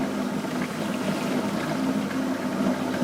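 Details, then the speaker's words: Dishwasher partially reassembled after replacing the humming, non-washing circulation pump motor (old seal ring reused) to check operation and leaks: even low hum with water swishing, then clean cutoff; pump works normally. "частично собрал посудомойку чтобы проверить работу и протечки опустилась все работает"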